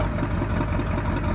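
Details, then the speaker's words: 7.3 Power Stroke diesel truck at a cold start with glow plugs nearly shot: deep rumble with an uneven, lumpy pulse and heavy smoke. Rough cold idle with heavy smoke. "Man, it's smoking like a freight train. God, it was a cold start."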